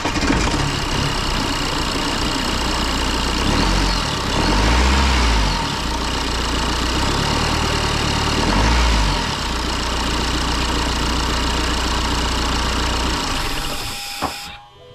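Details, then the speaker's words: BMW 123d E81 N47 diesel at idle, before repair: dry buzzing cicada-like chatter and sizzle, steady at idle, from end-of-life timing chain with tensioner nearly at its limit; timing chain rattle. "bon ça fait un bruit de de cigale comme ça ça grésille parce qu'on demande tout le temps comment ça fait quel bruit machin et tout ça donc là évidemment pendant que je parle voiture ça fait un bruit de cigale"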